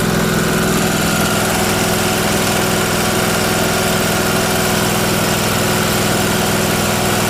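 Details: Miller Trailblazer welder after the faulty vacuum-operated fuel pump was replaced (the mixture screw had no effect): steady, even idle with a constant pulse and no stumbling or surging; now runs fine.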